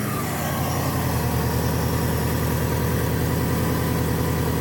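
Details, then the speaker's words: 1994 Subaru Legacy Turbo wagon after replacing header and up-pipe gaskets; up pipe found split almost in half, smoke still escaping from it at a different spot. Steady, lumpy idle with uneven puffing chuff: exhaust leak from cracked up pipe. "you can see there's still smoke coming out of the out of the up pipe but it's just coming out of a different spot now"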